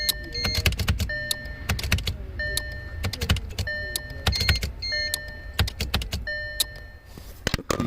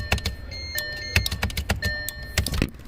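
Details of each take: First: 2012 Audi Q5 with random loss of power steering, parking brake and engine power: bursts of rapid clicking buzz over warning chimes as a faulty relay cannot close its contact, opening and closing quickly. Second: 2012 Audi Q5 with random loss of power steering, parking brake and engine power: known-good test relay snaps on and off with clean clicks and no buzz, unlike the faulty buzzing relay.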